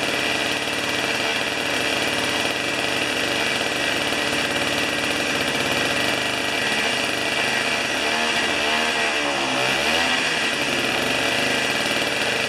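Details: Old two-stroke snow thrower, long stored outdoors, restarted on choke with 40:1 premix: steady, fast even idle with a bright, raspy buzz and no misses; runs cleanly.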